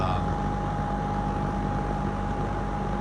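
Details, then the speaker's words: Lakewood P25 metal-blade fan, barely used since 2009-2010, window exhaust heard from outside, on high: even whooshing of chopped air under a steady mid-pitched hum, no rattle or scrape; normal running. "oh, that's just so cool. Just hear it chopping that air. Thing is so great."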